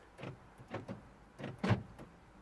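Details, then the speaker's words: 2010 Vauxhall/Opel Meriva B with locking-system warning light and BCM code B2524-59, rear door lock fault: faint irregular clunks and whirs as door locks cycle by themselves at key on. "Take the key out. There's something going on the locks."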